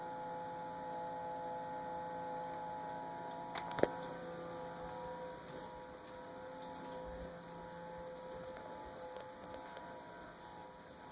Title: Samsung fridge making noise